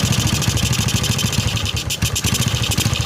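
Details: Suzuki Shogun 125 motorcycle with DC-CDI ignition, after breaking down from a dropped battery and ignition-line fault: idles fast and unevenly, stumbling and refusing to slow down, from a rich mixture; carburetor checked and clean, manifold hose next suspect.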